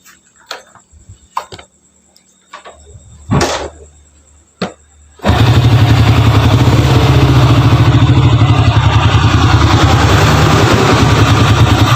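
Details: Honda Grand motorcycle brought in for a rough internal engine noise, connecting rod kit on hand; after clicks and handling it fires and settles into an even, steady thump of about three or four beats a second, running smooth.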